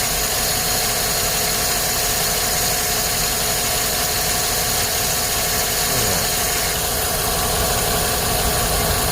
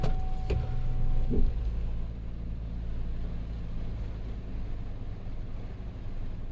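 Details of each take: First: 2010 Chevrolet Silverado 5.3L V8 with P0300/P0304 codes, spark plugs replaced six months earlier; uneven stumbling idle with irregular thumps about four a second; cylinder 4 misfire from a loose spark plug. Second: 2010 Chevrolet Silverado 5.3L V8 with P0300/P0304 cylinder 4 misfire, fixed by sliding down a coil boot that had slid up the plug wire letting spark jump to metal; now smooth, even idle with no stumble, engine still cold.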